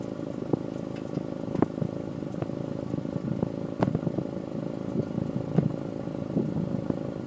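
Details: Honda S2000 with uneven idle, a chuffing beat and an irregular stumble every second or so; one cylinder misfiring at idle.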